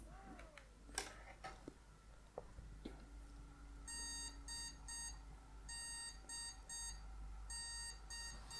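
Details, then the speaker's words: PC POST beep code, one long then two short beeps repeating after handling noise: RAM sticks placed on slots but not clicked in, so memory not properly seated; no display, same code as earlier. "we've had the exact same beep cause the one long beep and two short beeps right that because it's not plugged in properly it's not been installed or inserted properly and it's giving us the same code"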